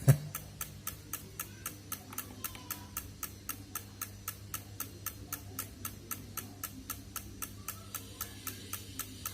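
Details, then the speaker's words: Honda Vario 110 LED CBS ISS scooter, ignition on, starter pressed: sharp even clicks about two and a half a second and no cranking despite 12.4 V reading; starter relay chattering from a weak battery. "Kenapa kontak on ya tuh kalau di starter cuman bunyi begini aja ya tuh malah bunyi tek tek tek tek doang"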